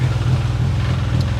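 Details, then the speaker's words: 1993 Geo Tracker at idle with an exhaust leak at the exhaust pipe under the car: a steady, low idle rumble with a soft, uneven puffing chuff underneath. "right here right under here there's an exhaust pipe and it's got a weird sound"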